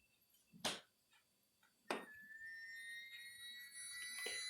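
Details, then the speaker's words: Refrigerator/freezer: after a couple of thumps a thin steady whistle as the cooling interior drops pressure and warm outside air is sucked past a gap in the door gasket; door seal air leak. "ele caça maneira de entrar onde ele tiver um furinho ele vai dar um vazamento vai dar um vazamento até que a pressão aumenta tanto que a borracha acaba de verdade vez e acessa o barulho"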